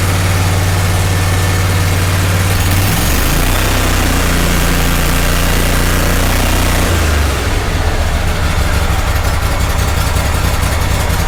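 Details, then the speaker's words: Kohler Command 18 twin after budget rebuild (connecting rod aluminium cleaned off crank journal), started without choke: steady, even low thrum settling after a speed change, no knock or rattle, almost no exhaust smoke; healthy, both pistons running. "That is nice. It's a lot nicer than it was before. So I see almost nothing coming out of the exhaust pipe. The engine sounds healthy."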